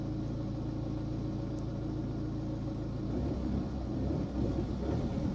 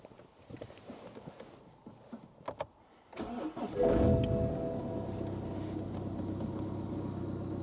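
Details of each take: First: 2011 BMW 1 Series E87 LCI diesel with air mass and glow-plug fault codes, idling: steady for about three seconds, then falters and cuts out, restarting straight away; engine stalling at idle, owner suspects a sticking or dirty EGR valve. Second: 2011 BMW 1 Series E87 LCI diesel with jerking and hold-back faults and codes including glow plug cylinder 1, restarted after clearing codes: cranks, catches quickly and settles to an even, steady idle with no knocks. Normal start; brake vacuum sensor warning remains.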